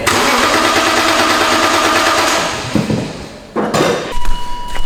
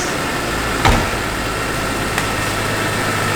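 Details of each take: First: Barn-find BMW E46 M3 after a new fuel pump was fitted and fresh fuel added: the starter spins the engine briskly for a couple of seconds but it never catches; cranking dry with no fuel delivery, and a relay may have gone back in the wrong spot. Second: Barn-find BMW E46 M3 on its first run after a new fuel pump: a smooth, even idle with one brief clack, possibly a belt. The engine otherwise sounds healthy; normal idle.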